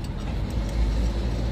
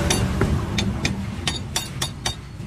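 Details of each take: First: Toyota Revo pickup driving after universal joint/propeller shaft repair (center bearing first suspected): smooth low road rumble, no knocking, clunking or whine from underneath; front noise gone, confirmed by customer test drive. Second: Toyota Hilux Revo while driving: sharp metallic clicks about three a second over low underbody rumble; center bearing first suspected, but propeller shaft cross joint found with slight play; worn driveshaft universal joint.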